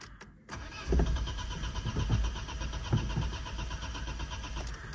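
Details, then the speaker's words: Opel/Vauxhall Astra MK4 (Astra G), crank no start: starter turns the engine over in uneven chugs for several seconds, never catching; compression present, rev gauge moves so spark expected. "so it's uh turning but it's not running first thing we're going to see you can see there is like a there is compression it's not a compression issue"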